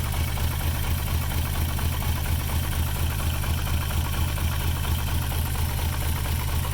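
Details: VR6 engine being started during a swap project, blipped with light throttle while smoke comes from the PCV valve; low, lumpy idle with a pulsing beat about twice a second that never smooths out; rough idle, cause suspected, not confirmed.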